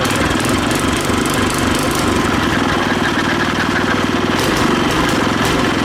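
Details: Go-kart small single-cylinder engine, possibly a replacement, started with the choke on: fast, steady idle with no misses or knocks while warming up; runs healthy.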